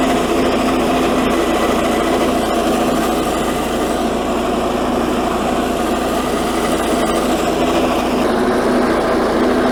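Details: 1984 Workhorse GT100 with stock 212 Predator single-cylinder swap, mowing via factory PTO deck; constant high-pitched drone holding steady speed, no misses or knocks; engine pulling the deck fine, normal running under load.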